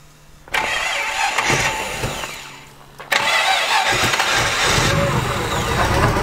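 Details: Newly built T-Bucket hot rod, 350 small block Chevy, three deuce carburetors, Turbo 400, in neutral at about 45 degrees: brief cranking, second try fires at once into a loud, even V8 idle; clean cold start.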